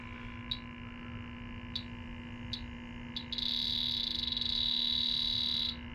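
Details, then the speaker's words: Electronic leak detector probing an empty aluminum evaporator coil at 0 PSI with the Schrader core out. Slow ticks speed up into a continuous shrill alarm; refrigerant leak found at the evaporator coil. "to get adjusted to it I mean zero PSI on this coil and that thing goes off nice and strong and that's kind of the ultimate test in my opinion you picking up a leak on a unit that's completely empty basically"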